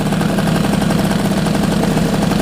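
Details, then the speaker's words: 2002 Bombardier DS90 two-stroke after new aftermarket top end, 32:1 premix: crisp even idle with regular firing, no knocking, rattle or misfire; running smooth. "So yeah, she's running nice and smooth."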